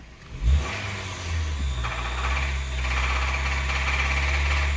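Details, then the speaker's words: 2011 Honda Fit manual, 122,000 miles, bought as-is at auction: revving from a blip to steady high hum with uneven deep knocking underneath; internal engine knock, engine needs replacing. "you can hear the engine has a nasty knock in it but not only that and that would have been okay"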